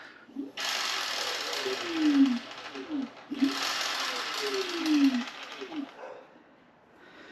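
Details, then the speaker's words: Hover-1 Ace R450 electric scooter, rear drive wheel lifted and spun, noise appearing at 15 mph: hiss and falling whine with scraping rub on each coast-down; owner suspects brake, disc off center needing adjustment, unconfirmed. "Is it the brake maybe? I think it might be the brake is making a noise. All right, guys, I'm gonna have to look into this. I think maybe my first guess is the disc is off center or something and the brake needs adjusting."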